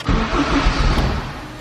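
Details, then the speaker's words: Turbo K24 Civic EP3 with the customer's faulty, low-flowing injectors: it catches and runs rough for about a second, then fades and dies, starving for fuel and unable to hold an idle. "starts dies it's kinda idling really idling low and then it comes up running okay"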